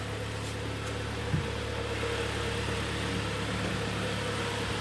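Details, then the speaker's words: 2012 Kia Sportage G4KD, manual, AWD, 176,000 km, after block sleeving and piston repair for heavy knocking, heard from outside: quiet, even, smooth idle with no knocking or ticking. "Работает ровненько, работает тихо, испаряет то, что собрали выпускной коллектор руками."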